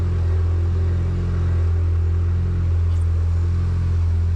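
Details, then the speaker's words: Damaged 2018 Porsche Macan, 47,000 km, sat about two years and started within half a turn: deep, loud, steady exhaust rumble at an even idle with no misses or knocks; healthy engine, muffler removed. "Машина уже стоит 2 года, не заводится, завелась просто с полоборотика, сами слышали, кайф. Это она так работает, потому что глушителя там нету."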